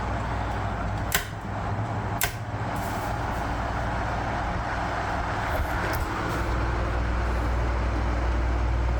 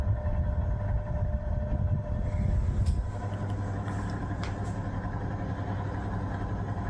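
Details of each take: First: 1973 National F-30AAD table fan at full speed, after temporary lubrication of bearings and gearbox: steady soft low hum, a few light taps, no squeal or rattle; runs quietly and normally. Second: 1973 National F-30AAD table fan, first run after purchase: low steady motor hum, sluggish and under speed; slow running blamed on dried grease in the bearings and gearbox.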